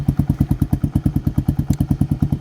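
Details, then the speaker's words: Grom clone 125cc-class single-cylinder minibike, cold start on one press after fitting a new CDI and ignition coil: steady even thumping at about eight beats a second, no misses, clean idle. "It's a cold start with the new CDI and ignition coil. It's still one fire, you know what I'm saying, one press fire."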